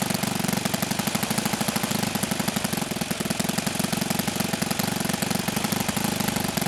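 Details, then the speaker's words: OS FS-91 Surpass four-stroke nitro RC airplane engine at idle: a rapid even buzz with lots of smoke and steadily falling rpm, still slightly rich on the low end and needing further low-speed needle adjustment. "hey lots of smoke steady decline of rpm is still a little bit rich on the low end so we'll fire back up and make another adjustment"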